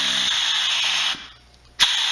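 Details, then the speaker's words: Harbor Freight pneumatic reciprocating saw after a screw adjustment and a drop of oil. A high buzz runs about a second, then stops dead for half a second before restarting. No better: it stalls at the bottom of every stroke. "well it's not any better now it stops at the at the bottom of the stroke every time"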